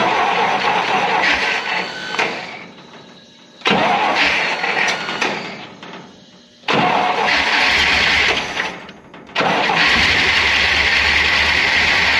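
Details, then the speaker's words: Lemonhead engine, timing being checked, catches and roars only while the starter is engaged, then drops to near silence, three runs in twelve seconds; won't run on its own, cause not confirmed. "that actually that is so funny cuz it acts like it wants to run as long as the starter's engaged"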